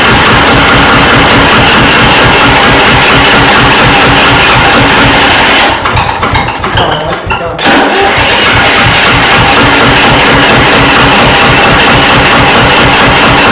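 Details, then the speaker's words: 1993 Lombardini diesel generator, restored, just bled of fuel: clatters fast and hard, stumbles nearly dying, then catches again; runs erratically, suspected drawing too many amps and cutting off fuel relays. "chris did say the reason it started farting about it was sucking too many amps and cutting off those fuel relays possibly"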